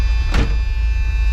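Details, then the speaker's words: Supercharged 1976 Chevrolet Corvette C3 Stingray, first start after years off the road: deep V8 rumble with a steady electrical buzz on top that persists with the door closed; source unknown, engine running and showing vacuum. "what is that buzzing cuz it didn't go away with the door closed well that buzzing is a little annoying but it's running showing some vacuum"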